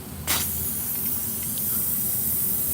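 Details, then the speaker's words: Tire valve core sticking open: a short burst, then a steady high airy hiss that doesn't let up as air bleeds past the core. "valve cord sticking. The valve cord sticking in this one."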